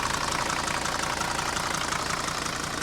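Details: 1980 Mercedes W123 300D diesel from a scrapyard, sat a while, only a new battery fitted, bonnet open: even, steady diesel clatter at idle with no misses or uneven beats; runs healthy.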